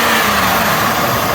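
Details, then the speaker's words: Lincoln Aviator after IAC valve cleaning: steady, even idle with a soft rush of intake air, no surging or stumble; RPMs watched before shifting to reverse. Normal idle. "yeah that's how it should be check it out we're going to notice the RPMs here immediately"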